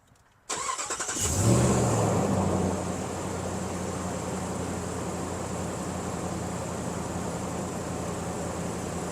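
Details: Hemi V8 after a cam swap that had caused a rough idle, now fixed: short crank, it catches at once, flares up, then drops to a smooth, even idle with no stumble or miss.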